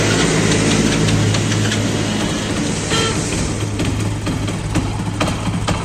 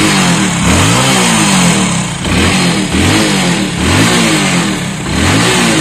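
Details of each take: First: Commuter motorcycle (Passion Pro/Shine type), cold, that stalls when put in gear and jerks until warm: uneven, lumpy running held up on the throttle, beat wavering. Cause: carburettor needle not seated properly; it is then refitted. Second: Motorcycle (Splendor/Passion Pro/Shine type) that jerked and missed when cold at light throttle, after refitting the carburettor slide correctly: crisp repeated blips about once a second, clean rise and fall, no misses; revs normally.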